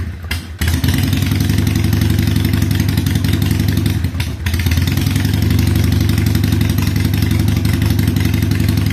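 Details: 2007 Harley-Davidson Sportster 883 Low, air-cooled, starting after fuel pump reinstallation with fuel pressure about 60 PSI (spec 55-62): settles into a steady, deep loping V-twin idle, even beat, no misses; owner unsure the fix is complete.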